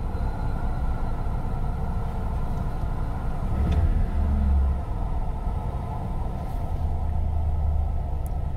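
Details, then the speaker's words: 1993 Ford Econoline van spewing black smoke, idling in park: deep low rumble with uneven swells in loudness, running rough; throttle position sensor suspected, not confirmed. "and it is running yeah it's already running rough come on give me a light"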